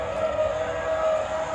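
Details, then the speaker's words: Fifth-wheel auto-leveling system being re-homed after an error: retract button held and jacks raise to their highest position, steady mid-pitched motor whine as normal; motors then draw more amperage at the limit to record home. "what's gonna happen is all of these jacks are going to raise all the way up into the the highest position they have the motors are going to start drawing more amperage"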